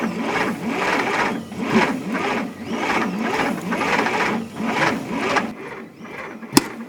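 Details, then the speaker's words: 1960 Bombardier J5 not run in 20 years, key switch bypassed with power direct to coil, spark present, fuel in cylinders and intake: labored cranking, about one heavy chug a second, won't start; owner suspects plug wires wrong, distributor timing off or rich mixture. "i'm wondering if they had it uh if they have the uh the wires in right why is it cranking so slow"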